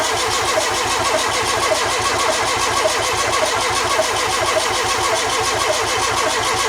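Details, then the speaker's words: Renault 5 GT Turbo first start attempt after five years: starter spins engine at an even churning rhythm, spluttering but not catching; fuel pump relay not triggering so pump got no power. "Sounds a bit dry. It wanted to go then. It spluttered the first time, didn't it?"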